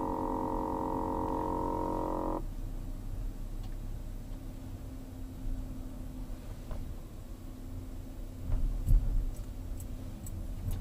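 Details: 2007 Volkswagen Jetta with a loud, harsh "brrrr" buzz from the front passenger side lasting about two seconds, then cutting off over a low engine rumble; replacing the air filter did not help.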